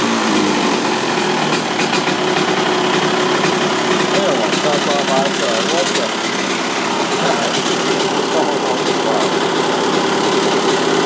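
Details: 1999 Honda CR125 two-stroke cold start in the cold, lots of smoke: a high, buzzy note that starts and revs cleanly without misfires or stumbling, a healthy cold start.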